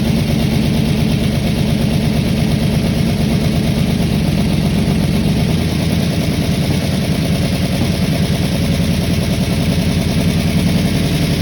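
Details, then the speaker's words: Mustang with aftermarket cam, after fixing valves far out of adjustment (no compression) and setting timing: steady, loud low rumble with fairly even firing and no obvious misfire; pushrod length or valve adjustment still unresolved. "whoo finally well that sounds a heck of a lot better"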